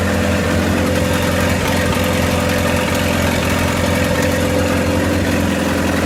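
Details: 1928 Farmall Regular tractor idling after carburetor tweaks, just started with timing advanced about halfway: low, even chugging with steady firing beat, no misses, knocks or hunting; smooth normal idle.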